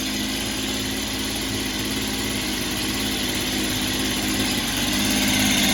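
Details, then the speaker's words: Echo PB265 ESLT backpack blower after new crank bearings were fitted, started on choke after long disuse: a steady, even two-stroke buzz, much quieter than before, with no rattle or grinding. The carb runs better but may need cleaning. "So, success. It's a lot quieter than it was, which it should be because it has some new bearings in."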